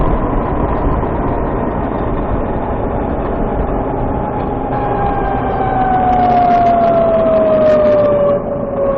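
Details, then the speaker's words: Warmed-up VX1 pulling uphill under load: over engine and road rumble a thin high chirp comes in, then drifts slowly down in pitch. Owner says it is louder once the transmission warms and starts around 30 mph. Transmission suspected. "Yep, that brought it out. That was another hill, and it was nice and loud, if you can call that nice."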